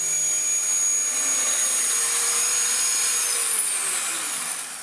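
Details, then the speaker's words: Dyson DC19 T2 Animal turbine brush head, cleaned of hair, run on the bare hose end: a smooth, steady high-pitched whirr with no rattle or drag. The brush spins normally and freely. "Again, this is quite a flipping good head. Like, it should really work."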